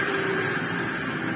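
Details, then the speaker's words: Sebo C2 Total vacuum cleaner, used, with a faulty cord rewind and damaged body, after reassembly with speed control working: steady even rushing whir with clean high motor tone, no rattle or warble; good motor running healthily. "Speed control works now. It sounds fine. It's got fantastic airflow because, of course, it's bagless. And, yeah, it runs fantastically."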